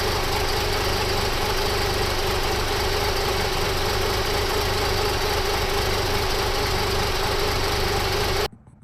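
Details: 1997 Toyota 4Runner engine, idling; lumpy, uneven idle with irregular stumbling pulses about three to four a second, caused by the camshaft installed out of time.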